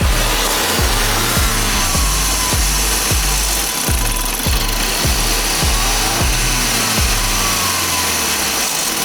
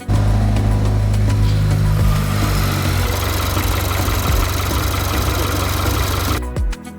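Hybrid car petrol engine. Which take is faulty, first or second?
first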